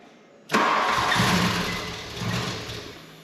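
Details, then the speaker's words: 1989 Volkswagen Cabriolet, first start in over 2 years sitting, after new engine wire harness and reconnecting starter plug: engine catches at once, flares to a busy run, settles toward even idle; clean start, sounds like it's running fine. "it's the first time I've tried to start it and the first time it has tried to start in over two years it sounds like it's running fine"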